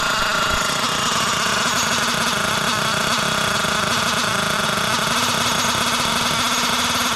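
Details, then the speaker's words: Losi LST XXL nitro RC truck, barely run since bought, after richening lean low-speed needle and warming up: high raspy buzz holds steady, running clean and healthier. "see that sounds a lot better A lot healthier"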